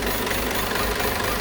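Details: Peugeot 508 2.0 BlueHDi 180 hp diesel: steady idle with a dense clattering rattle layered over the low rumble; odd noise at idle, cause not pinned down.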